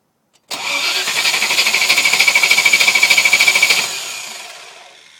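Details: V8 engine no-start: starter spins the engine at a steady quick rhythm, about three pulses a second, for roughly three seconds, then winds down without firing; cause suspected, not confirmed.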